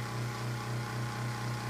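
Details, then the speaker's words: Galaxy (Lasko) 9-inch oscillating desk fan from around 1993, running on high speed: a steady hum with a fast, light rattle because the blade is out of balance. "I'll start it off on high and it doesn't make a noise as you can hear it rattles that's because the blade is kind of out of balance"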